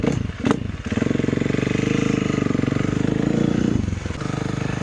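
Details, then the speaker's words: KTM 350 EXC-F (2012/2013) with aftermarket timing chain tensioner, chain possibly due for replacement: crisp, even single-cylinder blips with no knock, faint chain whirr; currently running fine. "But, it's currently running fine. So, in my opinion, that's all that matters right now."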